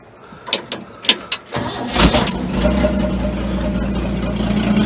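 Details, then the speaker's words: 1961 Chevy Apache 1-ton with open pipe hanging down and a leak at the front exhaust: a few cranking clicks, then fires into a loud raspy blatty idle; engine itself runs well with power. "It's just a fucking pipe hanging down like that. It sounds pretty awful, but it really runs great. Of course, there's that leak in the front, so it sounds like a turd."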